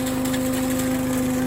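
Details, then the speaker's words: Billy Goat KV650SPH lawn vacuum with Honda engine, driving over leaves and manure: steady, even engine drone with a firm fan whoosh that holds speed under load, no misses or knocks; normal running under load. "You can just hear the power of that vacuum."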